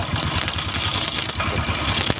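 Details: Honda Wave 125/115i fuel-injected motorcycle, kick-started, mic near engine: fast loose metallic chatter over light idle, rising with engine speed; slack cam chain, tensioner rubber roller cracked and worn metal-on-metal.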